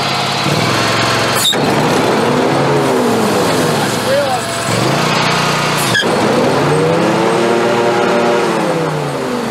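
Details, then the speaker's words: Scag Tiger Cat mower after deck belt replacement: engine revs and settles under load, only a brief initial squeal at startup, no persistent squeal as before; the old belt was the cause. "that took care of it. It's just got that little initial squeal when you first start it, and that's it. But it's not squealing like it was, so that was the belt."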